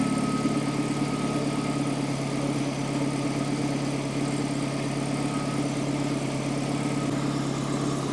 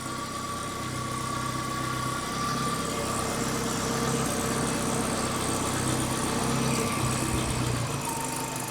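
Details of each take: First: Warm carbureted Datsun 120Y engine before idle adjustment, ignition timing possibly off: steady but slightly fast idle, even hum without misses, above the roughly 600-700 rpm target the owner believes correct; high idle speed. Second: Datsun 120Y during idle adjustment: a steady, even idle, slightly high, being lowered toward about 600–700 rpm. The ignition timing is possibly off. Normal idle.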